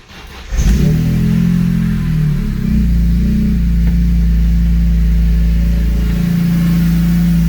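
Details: BMW E46 M3 (S54 engine, 139k on the clock) after water pump replacement and cooling system refresh, heater set to max: it cranks, catches and settles into a steady, even idle with a smooth low hum and no knocks, ticks or squeals. Normal start.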